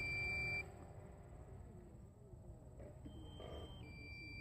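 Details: Steady high beep tones repeat over faint outdoor noise: the DJI Phantom 3 Standard remote, about a year old and paired with an iPhone 5s, warns its battery is low during a low-level range test.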